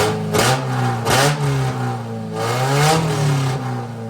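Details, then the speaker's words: Prerunner arena truck being readied for the fair: engine holds a fast, slightly uneven idle with quick blips; idles high because vacuum lines, including the main brake booster vacuum, are unhooked, otherwise running pretty good. "It's idling really high because I don't have any of the the vacuum line stuff >> hooked up."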